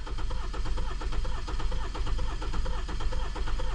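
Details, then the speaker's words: 2018 Hyundai Sonata with a cylinder 3 misfire, plugs changed and coils possibly swapped: lopsided cranking rhythm, one compression beat per cycle missing, clearly a dead cylinder; borescope inspection next. "I don't know if you can hear that, but it clearly has a dead cylinder."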